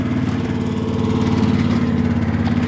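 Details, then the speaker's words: Cub Cadet mower with Yanmar diesel, cold start, idling before rolling rock on shop floor: smooth, steady diesel hum, even low drone with no knocks or misses; healthy idle. "she's just purring away waiting for me to get on it"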